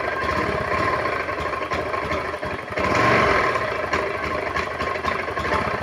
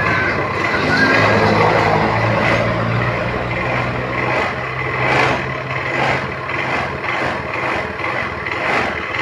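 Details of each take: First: Honda automatic scooter that is hard to start and idles unevenly, dipping then surging with a ragged beat; owner attributes the stumbling to the EOT sensor: engine stumbling at idle. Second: Honda automatic scooter that started hard and stumbled, with the EOT sensor connector unplugged: starts with one kick and idles steadily with an even low hum, no stumbling or misfire.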